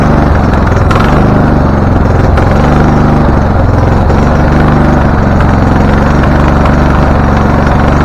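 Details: Husqvarna LTH 1438 riding mower, 13.5 engine, reported to backfire through carb and exhaust, first start, choke not closed: lumpy, uneven idle with sharp pops; rough running with backfiring. Shop suspected a loose cam gear changing timing, unconfirmed.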